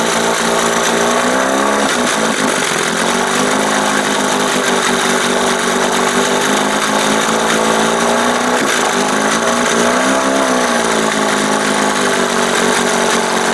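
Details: 1971 Johnson 20 hp two-stroke outboard after carb swap: buzzy note well above normal idle, wandering up and down; idle too high because throttle linkage opens before the two cam marks, with play in the linkage.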